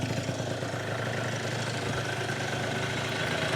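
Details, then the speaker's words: Yamaha Zuma (Minarelli vertical) two-stroke freshly rebuilt with new Polini Evolution 70cc cylinder kit, second warm-up fire-up: steady, even idle with no knocking or clanking from bottom end though crank had extra side-to-side play; sounds healthy, normal idle. "Not too much noise from the bottom end. I thought that crank was going to be a little uh clankier."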